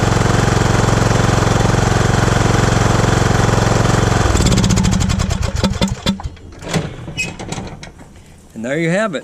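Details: Riding mower no-start after replacing the faulty solenoid switch and reconnecting the fuel line: an even, steady single-cylinder putter at about 220 beats a minute for four seconds, then shut down; the engine runs clean.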